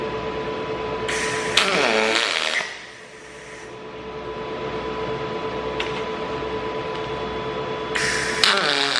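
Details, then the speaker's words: HTP Revolution welder doing aluminium pulsed MIG. Two short crackling arc bursts about six seconds apart over a faint steady hum. Normal pulsed MIG welding. "you should you should hear this cycling you should hear the pitch change as I change cycle through the trigger operation"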